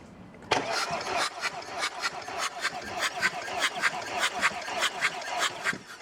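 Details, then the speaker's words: Audi A8 D2 2.5 TDI V6 (AKE) running rough after owner replaced hydraulic lifters and rockers: uneven starter cranking during compression test, cylinder 4 reads zero, cylinder 5 20 bar, cylinder 6 22 bar; zero compression in one cylinder. "0, 4 cylinder showed Compression no pressure put 5 cylinder well, pumped 20 Bar, a well-reset and 6 cylinder look pumped up even more than 20 bar"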